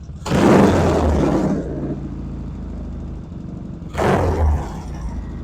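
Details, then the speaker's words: 1975 Norton twin after fixing undersized throttle cables that held carburetor slides up: two loud throttle blips, then low even idle around 800–900 rpm settling cleanly; normal idle, though smoke still visible. "That's a nice 800, 900 RPM right there."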